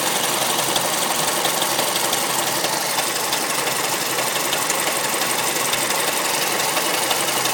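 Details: Mazda3 MPS (Mazdaspeed3) at idle: fast, light, fairly even top-end ticking about three per second over a hissy idle. Owner suspects the VVT, timing chain or tensioner; there is no diesel-like sound on cold start. Cause unconfirmed.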